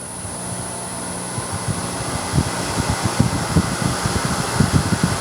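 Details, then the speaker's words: Homemade 2x72 belt grinder motor driven by a VFD, no belt fitted yet, spun up from the run button: thin steady high whistle over quiet hum; very quiet in person, normal VFD motor whine. "You know, it's fairly quiet too for what it is. It may sound loud in the microphone, but for me sitting here right next to it, it's actually very quiet."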